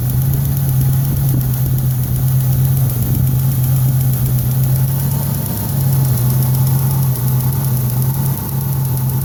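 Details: Engine idling with the valve covers off, ahead of a planned engine pull and rebuild: steady low drone with a light, fairly regular tick about three a second; source not yet found.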